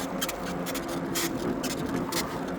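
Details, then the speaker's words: eBike ridden in pedal assist 0: scratchy squeak bursts about twice a second, in time with the pedal strokes, over road noise. Owner wonders about the seat, fender or shocks; source not found. "I'm wondering if it's the seat. That squeaking noise is very, very annoying."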